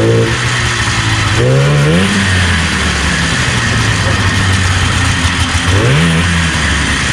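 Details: 1977 Arctic Cat El Tigre 4000 440cc free-air two-stroke, Mikuni round slides, needle clip in the wrong position: idles burbling, then each throttle blip climbs slowly and hesitates before revving; low-end bog, jetting being adjusted.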